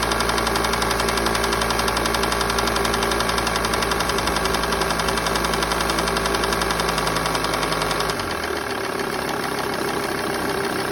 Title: Lt 35 2.5 ticking noise